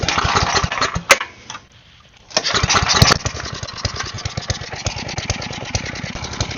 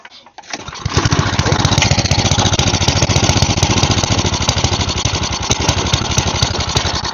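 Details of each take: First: Side-shaft small engine for a go-kart after fuel line repair, running on a 2x4 with air filter off and smoking: catches, dips almost to a stall, then settles into a steady quick-firing run; seems to run fine. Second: Side-shaft small engine for a go-kart, cut fuel line repaired, sat for an unknown time: started on choke, it runs ragged and uneven at roughly 220 pulses a minute; owner believes the carb needs cleaning.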